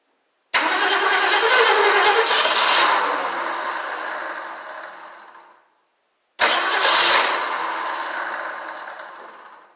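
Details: 1968 Mustang Gold Nugget Special, first start attempt with gas poured down the carb: catches with a rush, runs rough a few seconds, then dies, twice; owner suspects lost spark or wiring.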